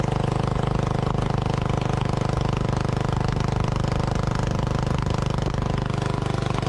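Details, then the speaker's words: Lincoln Weldanpower AC/DC welder-generator, Briggs & Stratton 16 hp single-cylinder, sat three years outside, running on old leaky carburetor: steady thudding run; ~110 V output when revved, governor not regulating idle speed. "got the engine running off the old leaky carb and I at first it was idling and I wasn't getting any voltage out of the front here I've revved it up and then I actually was getting about 110 volts on the outlet plugged in an angle grinder it did run um it didn't seem to be regulating its idle speed"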